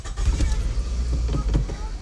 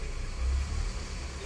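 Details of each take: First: 2008 Scion tC idling very rough with lumpy stumbles, one cylinder dropping out; scan tool shows cylinder 2 misfire code. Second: 2008 Scion tC after diagnosing and repairing a misfire, codes cleared: quiet even low idle with no stumble or shake; normal idle after repair.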